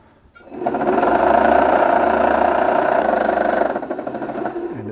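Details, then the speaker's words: 1974 Singer Genie 354 sewing machine after servicing: a steady mid-pitched whir with a rough, buzzy edge for about four seconds while the bobbin winds. The worn bobbin winder rubber is noisy and should be replaced. "yeah the bobbin winder rubber you can hear it's quite noisy i probably should have replaced that while i was in there"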